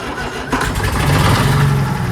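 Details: 1940s Allis Chalmers crawler with 2-stroke Detroit 271 diesel, first start in many years: starter cranking catches into a deep, uneven chug that begins to steady. Gauge not working; it smokes, suspected from a problem injector.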